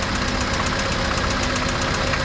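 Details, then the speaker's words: Car engine idling with hard metallic knock under a harsh gritty clatter in time with the engine; mechanic diagnoses connecting rod knock needing rod replacement and crankshaft regrind or replacement; driven home at only 1,500 rpm. "Tatok siya mga kalyabe. Ayan na, right. Kalyabe, rinig na rinig mo yan. So para kang may ginigiling na bakal sa loob."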